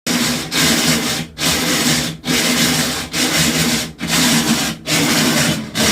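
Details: Brand new GE washing machine makes a harsh rasping grind in bursts about once a second and will not agitate or wash; noise returned a few minutes after replacing one part.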